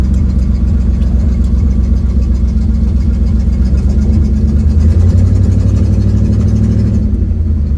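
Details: Ford Mustang 1972 with an exhaust leak, driving home on the road, phone mic on the dash: low, throaty engine drone with a faint puffing tick following revs.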